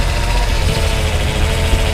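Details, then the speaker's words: 1966 Ford F250 Custom Cab, remanufactured power steering pump, wheel being turned: steady low hum with faint pitched tone over a lumpy idle; mild pump whine, typical of Ford pumps, not concerning. "You can hear it. It's actually a remanufactured at some point, but sometimes the Ford power steering pumps sound like that a little bit, but it's nothing I'd be really concerned about at this point."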